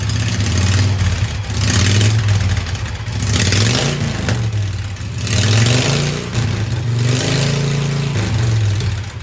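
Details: Hydrostatic Husqvarna mud mower after modifications, with new exhaust using two 290 pipes exiting one side: steady low engine drone swelling and easing every couple of seconds, no knocks or misses; quieter than before, running healthy.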